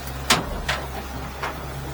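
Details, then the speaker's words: 2023 Stabicraft 1550 with Yamaha F70 outboard: sharp metallic clanks every half second over a steady low engine hum, from a loose anchor shackle up front rattling against the bow; fix with a large carabiner. "That clanking is that whatever you want, shackle up front. You can take that off."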